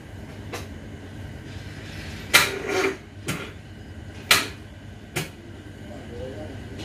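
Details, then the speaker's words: Car battery drained after ignition key left on two weeks, jump attempt via small motorcycle battery and house wire: few scattered clacks, engine never cranks though horn works; battery too flat. "klakson bisa tapi distater tetap Enggak ngangkat ya nggak mungkin karena akhirnya ini kurang"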